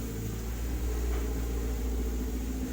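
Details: Refrigerator compressor drawing high current (0.9 A) even after its PTC was swapped for a freezer PTC, smoking, suspected overheated; capacitor about to be added. Heavy, steady low hum with a rough buzz: airflow still strong but very loud.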